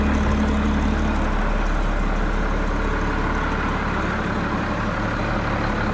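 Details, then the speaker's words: Road grader diesel, starting problem from weak fuel shutoff solenoid spring not pulling shutoff lever fully forward; lever held fully forward by hand, jumped at charger: starter spins briefly, catches at once, steady even idle rumble; normal start. "so now let's go over here to the charger and we'll jump across it and you watch it'll start right up"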